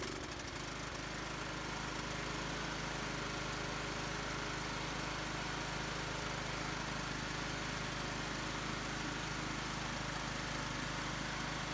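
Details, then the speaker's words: Husqvarna YT 21 HP lawn tractor, will-it-run test with choke on and air filter removed, just started: steady even idle with low drone, no stumbling or knocking; running normally. "Well, that wasn't bad. It's running."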